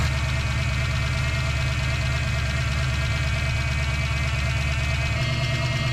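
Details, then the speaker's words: Heavy, steady V8 idle with a faint irregular light tick on top, after fourth power steering pump fitted and fluid flushed; pump whine now much quieter, tick source not pinned down. "All right, folks. What are you hearing? Ticking. Yeah, we know. You always hear the ticking."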